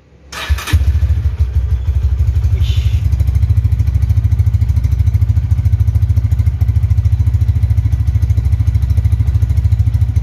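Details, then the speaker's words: Honda Tiger Revolution 2011 limited edition single-cylinder motorcycle, about 10,000 km: short crank, then an even fast thump at idle with no knocks or rattles; smooth, healthy engine. "di mesin yang gak ada suaranya apapun tuh halus banget kalau yang masih nyes KM rendah seperti baru itu kayak gini teman-teman di mesin gak ada suara apapun super halus banget"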